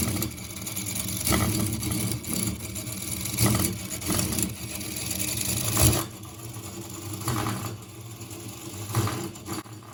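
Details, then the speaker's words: Engine running continuously since 6 am, heard near 23:00: it thumps unevenly with beats bunching and dropping out in a limping rhythm; the fault is in the gears, not the piston. "mesinnya masih nyala cuman suaranya udah pincang-pincang cuy. Tapi ini permasalahannya dari gearnya, bukan dari pistonnya."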